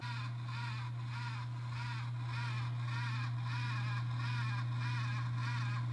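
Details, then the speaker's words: AMD X570 motherboard chipset fan: rough scraping grind pulsing about four times a second over steady low hum; worn fan bearing, fixed by replacing the chipset fan. "uh but yeah then eventually it started making this weird freaking grinding noise that was so annoying take a listen"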